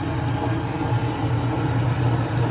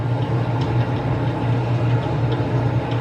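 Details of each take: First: Dishwasher after fix: steady low rushing pump hum with no clanking; the earlier clanking was caused by a screw and small part hitting the propeller, now removed. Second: Old dishwasher clanking and clicking when started, pump hum with irregular clicks as if something is inside; cleaning didn't stop it, debris hitting the wash impeller.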